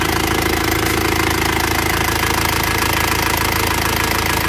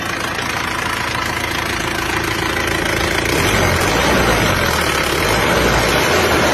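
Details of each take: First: Isuzu Panther diesel after repair for heavy oil consumption, warm idle with busy rattly valve ticking about 160 a minute; valve clearance too loose, needs adjusting; injection pump and nozzles still to be serviced. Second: Isuzu Panther diesel that burned 10 litres of oil from Jakarta to Blitar, after gasket set, rear seal and engine mount replacement and injection pump service: steady even idle clatter, then smooth rise when revved; no misses or knocks, repair successful.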